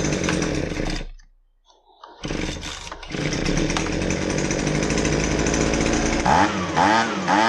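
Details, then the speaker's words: Husqvarna 125BV handheld blower two-stroke test run after fuel line replacement with factory kit: drops nearly to stalling, then picks back up with uneven surging revs; carburetor out of adjustment, needs adjusting. "You'll hear that it doesn't run just right, and I'll eventually have to make a carburetor adjustment."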